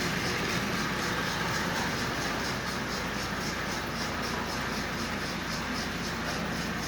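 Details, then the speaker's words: Lionel Sound O' Power mechanical tender, broken original belt bridged by a rubber band, running at slow speed behind a 1666 locomotive: soft quiet chuffing about four beats a second over track rumble; the sound fades out at higher speeds. "let's take this around with the new mechanical tinder choose here it doesn't it isn't very loud at all"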